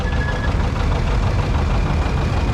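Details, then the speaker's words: 1959 John Deere 730 two-cylinder diesel tractor rolling past in a parade: a slow, heavy, lumpy diesel knock, the normal beat of a healthy two-cylinder diesel. "You can hear that diesel knock and then two cylinder diesel."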